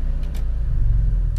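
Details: RV generator after new Motorcraft fuel sending unit install: deep, constant low drone without knocks, surging or rattles; normal running.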